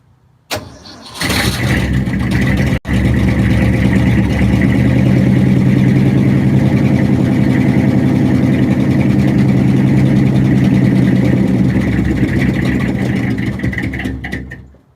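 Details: 1967 Ford F250 crew cab after fuel tank cleaning and fuel line replacement: cranks, catches after a stumble, runs low and lumpy about ten seconds then dies; air bubbles in filter, owner suspects dirty tank starving fuel.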